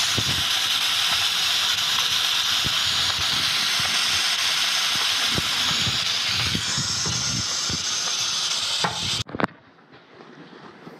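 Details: Steam boiler on a heating service call, using water faster than usual and locking out on low water cutoff: loud, steady, high hiss runs about nine seconds, then cuts off sharply. Steam leaking from the main air vent.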